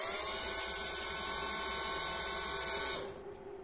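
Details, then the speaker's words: Mitsubishi Shogun hydraulic brake booster (HBB) pump motor, bench-tested on 12 volts off the vehicle after repair: steady, even high-pitched electric whine, no grinding or stutter, cuts off cleanly. Normal motor run. "we try the opposite way although the motor will only turn one way obviously and it's working lovely"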